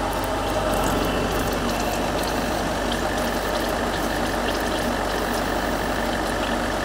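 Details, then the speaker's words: Land Rover Range Rover L322 4.4 TDV8 diesel after inlet manifold cleaning and service, idling while coolant and oil temperatures are monitored: smooth, steady idle with an even low rumble and no knocks, misses or squeal. Normal, healthy idle. "that's the sound of a pretty happy tdv"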